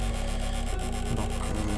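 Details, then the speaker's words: PlayStation 2 optical drive with a disc inserted: rasping, rubbing squeak with rapid stuttering pulses as the lens sled slips on dry rails; fault is the lens mechanism, not the lens, fixed by greasing the rails. "donc quand on met un CD ça commence à grincer ça ça fait des bruits bizarres"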